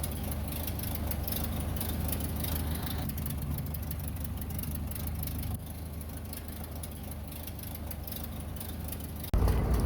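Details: 1930 Ford Model A Tudor barn find, stored 40+ years, after head gasket and wiring harness replacement and oil pan cleaning: low, fairly steady idle with soft even beat, no knocks or rattles; finally driven out running well.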